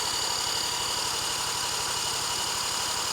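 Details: 1977 Honda Z50 stored for 25 years, spark confirmed: a drill whines spinning the engine over with regular compression pulses, about four a second, never firing; cranks but won't start.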